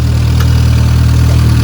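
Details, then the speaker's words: Honda Civic R18 with a built shortblock, freshly started after sitting a long time: steady, even low idle with no knocking or ticking, only a little loud; they think it needs breaking in. "How loud is loud? A little loud. I think it needs to be broken in."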